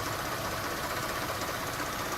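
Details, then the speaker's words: Mercedes ML350 idling with a fast, light knock in the engine noise; source unknown, others suggest the air pump while the owner suspects a pulley or belt. "I'm trying to figure out what this noise is. I have no idea. Keep trying to tell me that they think it's a air pump, but I think it's a pulley or a belt."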